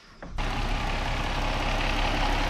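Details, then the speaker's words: Car idling after a part was replaced from underneath; the owner had reported it not warming up to operating temperature. It catches and settles into a steady, even idle with no knock or miss, running fine and smooth. "he seems to be running fine nice and smooth"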